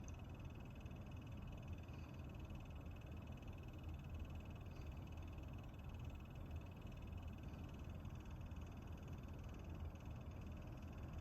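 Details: Lenovo Legion laptop with RTX 3070 Ti, GPU fan: low fluttering croak under the steady whir, faint thin tone above; abnormal fan noise.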